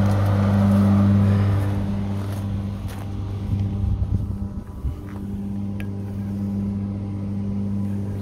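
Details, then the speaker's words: STIHL GHE 355 electric garden chipper (3 hp, Australia) fed branches while set to greens mode: steady motor hum sags and labours with crunching as branches go in, then recovers; wrong mode for branches. "let me show you what would happen if I'll operate it on the greens mode with the branches, and you'll see the difference"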